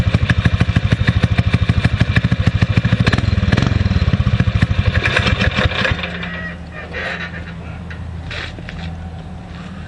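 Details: Predator 6.5 hp clone engine on a springer bike after carburetor rejetting, kick start with choke fully off: strong even single-cylinder thumping picks up cleanly, then settles to a steady quieter idle; normal cold start.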